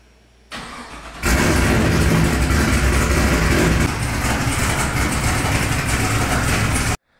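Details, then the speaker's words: 1995 BMW E36 M3 with LS3 V8 swap, first start after clutch installation, on the lift: a short crank, then it fires cleanly and settles into a smooth, even V8 idle before shutting off; healthy start. "thank God this thing works big weight off my shoulders but the car is good"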